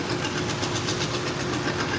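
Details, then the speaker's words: 2x42 leather honing belt from Amazon on a knife-sharpening belt grinder; fast, regular thump about eight beats a second over the belt hiss, from a raised spot on the inside of the belt. Belt thumping from raised spot. "It's got a raised spot on the inside. I'm gonna see if I can fix that."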